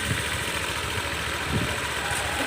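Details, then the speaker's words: Honda PCX150 after top-end rebuild with new piston and rings, after a test ride: once stalled after starting unless throttle was held, now idles quietly and steadily, revs holding smoothly without hunting or stalling. "อยู่ดีมากๆเลยนะเสียงเงียบแล้วก็สตาร์ทก่อนหน้านี้มันสตาร์ทแล้วมันดับนะเราต้องเร่งไว้นะครับ"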